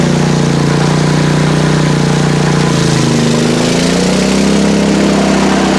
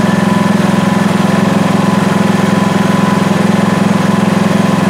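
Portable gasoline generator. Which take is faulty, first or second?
first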